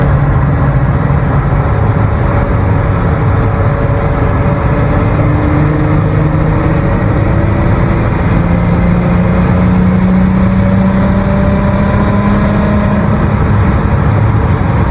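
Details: Loud, deep exhaust drone echoing off tunnel walls while driving through a tunnel; suspected exhaust leak, not confirmed.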